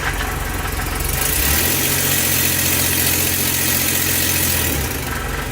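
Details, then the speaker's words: Ford E-150 V8 with P0340 cam position sensor code, doghouse off, in gear and power-braked under load after the repair: engine rises from idle to a steady, loud held load with no stumbles or cut-outs, then settles; no error, no longer cutting out. "No error, and the engine's not cutting out anymore."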